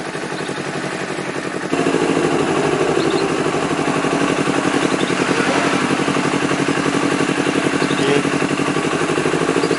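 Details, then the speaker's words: Honda CBR250RR twin won't hold idle: lumpy pulse with rpm hunting up and down around 1000-4000, never settling; traced to O2 sensor and throttle errors, later fixed. "eh kelihatan Nadya naik turun dari rpm nya 1000 kedua jadi 3strip a3143 setrip keempat ya seperti itu"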